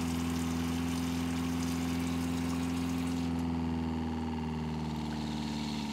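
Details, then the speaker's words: Winnebago Revel water pump after installing accumulator tank, second microphone by pump, faucet full on: steady hum with pulsing about three per second; pump starts late and runs after faucet closes to refill tank, normal. "so what I immediately noticed is that the pump does not immediately kick in when the water faucet is opened and it runs a little after it has been closed"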